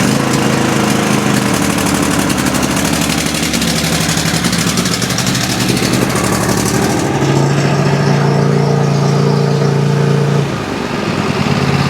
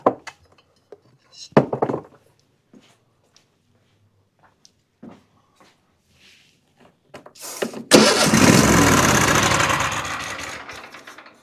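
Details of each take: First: Troy-Bilt riding mower with Kohler 7000 single-cylinder engine, previously wouldn't start or stay running, now holds a steady even run, pitch shifting slightly with throttle, no misses or surging. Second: Troy-Bilt riding mower with Kohler 7000 engine: scattered clicks, then the starter spins the engine about three seconds without catching; cranks but won't run despite choke adjustment and plenty of fuel reaching the carburetor.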